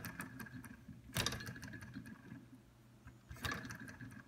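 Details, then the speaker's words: Jensen Model 60 steam engine in long disrepair, flywheel freed and turned by hand: two airy chuffs about two seconds apart through the boiler's safety-valve hole show the piston holding good compression. "that's good and I can hear the air chuffing through the hole and the boiler where the safety doll would go so I know I've got good compression on the piston which is great"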